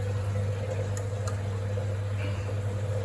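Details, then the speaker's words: Winterhalter GS502 dishwasher after filling, with the float switch opening and the contactor clicking in: steady low heating hum with faint mid tone, display at 33° rising to about 80°; normal heating cycle. "And now you can hear the sounds water is heating up. Okay. at the moment and you can see on the display is 33 and it will be rising till about 80°."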